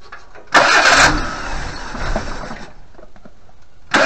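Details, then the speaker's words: 1988 Suzuki Vitara 1600 carb engine, off road since 2004, float bowl hand-filled: short cranking bursts that never fire; no fuel from pump outlet pipe, owner concludes mechanical fuel pump probably dead (line blockage thought unlikely, new filter). "and that's it for the fuel and there's no fuel coming out of that pipe so that means there's either a brake blockage in the fuel line"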